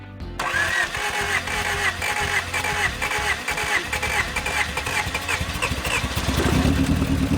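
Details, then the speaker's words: 1987 Acura Integra, first start with distributor held by vise grips to keep timing: cranking catches then engine shoots to about 4,500 rpm and hovers instead of dropping to idle; high idle, cause not yet troubleshot. "But now, it wants to rev really high up in the RPM range right when it's turned on. It shoots right up to around 4,500 RPM and kind of hovers right there."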